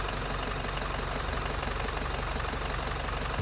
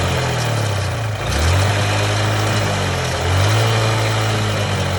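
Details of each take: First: Toyota Innova Crysta 2.4 diesel, about 7,218 km, after Sundar Carbon Antidote Plus treatment: even quiet diesel clatter at steady idle, no misses or knocks; engine described as smooth with good combustion. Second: Steady idle with a light, uneven knock about four times a second over the low engine drone; mechanic attributes the knocking to a worn cam bearing needing urgent replacement, unconfirmed.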